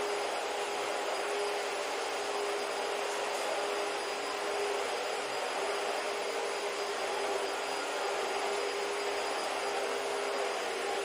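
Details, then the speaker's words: Found-in-trash Dyson vacuum after fixing, running normally: a steady, even rushing hum with a faint constant high whistle, no surging or rattles; the usual motor whine and the seal leak are always present. "You can't really hear the motor whine because it's like always, or the seal leak because it's always there, but and it doesn't actually sound that bad, but yeah, it works."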